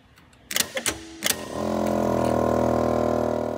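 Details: 1981 Lectra Motors Lectra 2+2 electric car, junkyard rescue unused ~20 years: a few clicks, then a steady even electric hum as the brake vacuum pump, under the third battery, switches on and runs normally.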